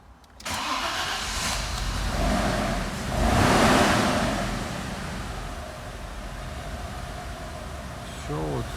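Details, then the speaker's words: 1998 Audi A6 C5 that cranked, caught and stalled (code P1570), now started: uneven idle rising and sagging instead of settling; rough running after start, owner suspects one cylinder not working. "мотор запустился ну работает он не очень честно"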